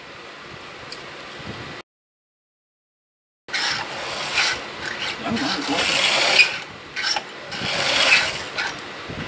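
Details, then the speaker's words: Used vintage 00 gauge model locomotive from an untested job lot, after respacing conrods that were catching: light steady buzzing whirr with faint mechanism rasp, no stalls; runs well as long as the conrods don't jam again; normal running. "does work, as long as them Conrods don't jam up again. That's the issue with that. Other than that, that's actually working really, really well."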